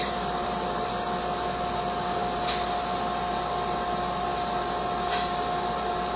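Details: Sandblasting cabinet with a gun, nozzle held about 8–10 inches from the surface and parallel to it: constant hiss of blast media over a steady fan hum, with no sputter or surging. Normal sandblasting.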